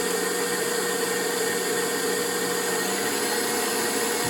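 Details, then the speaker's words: KitchenAid stand mixer after speed selector switch cleaned with contact cleaner and reassembled; steady motor hum with faint whine at even pitch, no grinding or catching, slight delay reaching higher speed thought normal; working like a champ, normal running. "There's like a slight delay before it goes all the way to a higher speed. I think it's designed to do that. Okay, working like a champ."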